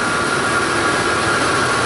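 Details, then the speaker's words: 2006 Ford F-150 5.4L, first running after a no-crank, no-communication repair: loud raspy idle with steady hiss and faint high tone, suggesting a possible exhaust manifold leak. "I think I might give him a quote on some exhaust manifold. Jeez, that thing pretty"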